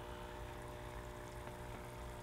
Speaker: now just have your pump situated and just plug it in see if it's working you hear it humming and just check